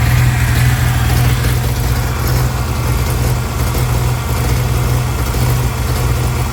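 Steady low idle with a faint hiss riding over it and a slightly uneven beat, fitting a large intake vacuum leak.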